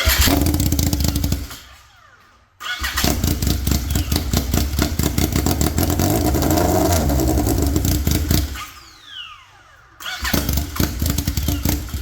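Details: Polaris RZR XP with swapped Yamaha Nytro triple, straight-piped, restarted after clutch setup: loud raw bark, surging through sharp revs and dipping between blips; owner thinks the idle just needs setting.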